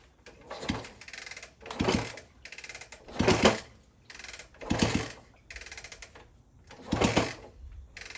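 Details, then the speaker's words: 1964 Honda CT200 Trail 90, sitting 50+ years, no chain fitted, first kick-start attempts: repeated kick bursts about every 1.5 seconds, nothing catches. Has compression but no spark; rectifier, coil and wiring later replaced. "Was not getting spark, so I bought a new rectifier, which basically converts the AC voltage into DC."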